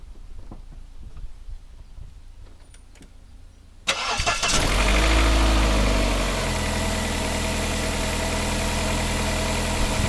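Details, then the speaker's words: Vauxhall Cavalier X20XEV, cold start after replacing the exhaust manifold gasket and rear silencer: cranks, fires, flares briefly, then a steady fast cold idle with no ticking; normal cold idle. "nice cold start that's a nice smooth running and do a nice city ticking look at that"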